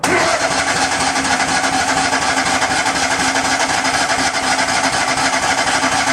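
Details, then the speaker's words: Miller Bobcat 250 welder/generator, gasoline engine, 34.1 hours, unused since July, started in January after adding gas: even rapid cranking about four beats a second, never fires; choked, smells like flooding, cause unconfirmed. "going choke it a little bit smells like it's getting flooded anyways we'll wait a little bit"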